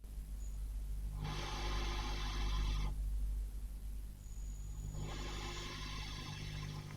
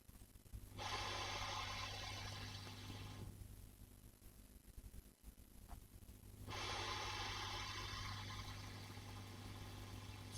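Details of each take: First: 5E3 tweed valve amp copy, bright channel, hum-level check: steady low mains hum with loud hiss surging twice as volume is turned up; definite hum alongside hiss, source unknown. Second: 5E3 tweed valve amp copy, normal channel, both ground switches up, hum-level check with boosted audio: steady low mains hum under soft hiss swelling as volume rises; normal for a 5E3, though some parasitic oscillation possibly heard.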